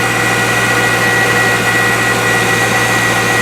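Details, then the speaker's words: C5 Corvette (1997–2004) after replacing the accessory and AC belts, idler pulley and tensioner to cure a squeal: steady, even idle with a smooth belt whir and no chirp or squeal; accessory drive sounds healthy. "Just keep hand tightening it until you start needing the 15mm socket. No squeaking."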